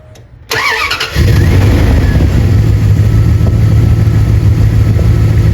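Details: 2nd-gen Ram 1500 after replacing the squeaky serpentine belt (power steering routed last): starter cranks briefly, engine catches into a steady low idle with no belt squeal.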